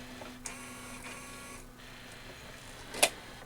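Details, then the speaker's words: RCA RS2654 shelf system CD player with replacement KSS-213C pickup (original KSS-213CL), disc-detect IR LED already repaired: quiet whirring and faint seek clicks with a sharp clack, never playing, showing lens error; cannot read TOC, pickup suspected. "no idea what it's doing and this is the replacement CD in here lens error yeah that's it's no mystery there"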